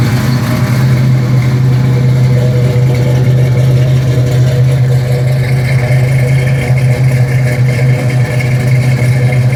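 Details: 1972 Mustang Mach 1, rebuilt 351 Cleveland Cobra Jet V8 with Wolverine Blue Racer cam (510/536 lift, 290 duration), not yet warm; deep choppy rumble with steady lope and light blips to moderate revs; normal lumpy cam idle.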